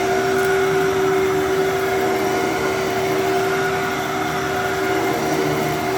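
Smooth, even motor hum holding one steady pitch with a faint higher whine, no rattles or surging; this vacuum motor runs healthy.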